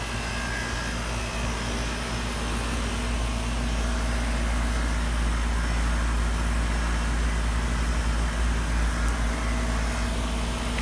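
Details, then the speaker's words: 2003 Carrier 3.5-ton central AC on its first startup of the 2018 season: heavy, low droning rumble with an uneven pulsing throb; the compressor runs rough at first, then sounds normal after a few minutes. "sounds a little rough this year. It's starting to get cool."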